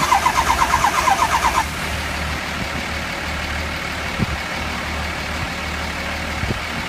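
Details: 2003 Ford 6.0 diesel cranks steadily, about three beats a second, then only a low hum; never catches. HPOP replaced, IPR and FICM checked OK, still won't start; cause unconfirmed.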